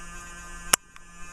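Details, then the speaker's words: Dell Dimension E521 desktop computer at boot after a no-video start: low steady electrical buzz with one sharp click; owner hopes it isn't 60 Hz hum, source not found. "wow that sounds really bad I hope that's not a 60 hertz bud so I'm pretty sure that's not about to blow up my face but"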